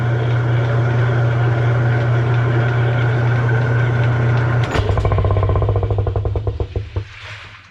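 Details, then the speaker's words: Kenmore washer after repair, using a transmission that sat outside over two years, with the lid switch jumped and set on spin: a steady smooth low hum, then clunks as it winds down. Normal spin cycle. "Well, that's a pleasant surprise. I gotta be honest, I wasn't sure whether this was going to work or not with that transmission that was sitting outside for over 2 years, but we got it working."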